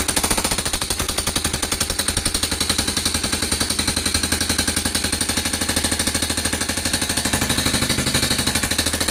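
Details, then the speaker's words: Honda Cargo motorcycle single-cylinder engine after a fall two or three days earlier: loud harsh metallic clatter, sheet-metal-like; mechanic suspects rocker arm rollers or guides. "Ese es el sonido que tiene tiene un sonido muy este muy fuerte ahorita vamos a quitar tapa de balancín y vamos a ver qué qué es lo que tiene No para mí siento yo que es los rodillos de los balancines o las guías"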